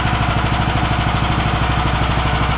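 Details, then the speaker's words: Engine on a home-built machine after aligning the pulleys for a poly-V (ribbed) belt: an even, regular beat at steady speed with no knocks, slaps or belt squeal. Normal running. "делается давай за ведущий очень нравится как мотор работает"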